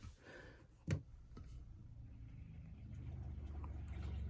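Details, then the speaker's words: Newly installed upgraded RV fresh-water pump (higher flow and pressure) replacing a failed one: after a single thump, a low soft hum builds and holds steady with no chatter or pulsing. Much quieter than before, with more water flow; normal operation. "I immediately notice how much quieter that pump is much quieter and noticeably more water flow as well"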